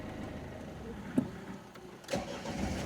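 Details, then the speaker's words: Mini Cooper 1.6 HDi diesel, after ECU reflash with EGR and DPF deleted in software (had limp mode, fault 4184 DPF pressure sensor, sensor already removed): cranks, catches quickly, revs freely with even steady note; no errors, repaired. "записав прошивку правильно все працює помилок немає"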